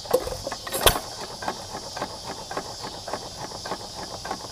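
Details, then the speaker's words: 1913 4hp Nelson Brothers hit-and-miss engine, original bore and rings with strong compression: slow, loose cam clicking around eighty a minute with a soft hiss as it freewheels between firings (clicks counted to judge coasting), normal healthy coasting. "there's a little click from the cam and a lot of people count clicks to judge how long it's been coasting or running through the cycle just freewheeling"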